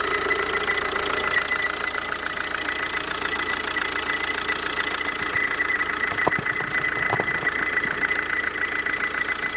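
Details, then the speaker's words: Kia Ceed 2.0 CRDi 140 hp diesel, warm idle, with a constant high-pitched squeal holding its pitch, from the oil-fed vacuum pump on the alternator; rollers, alternator bearing and A/C compressor bearing already replaced without curing it. "na alternatorze jest pompa vakum która pracuje w oleju zenie Myślę że słychać prawda"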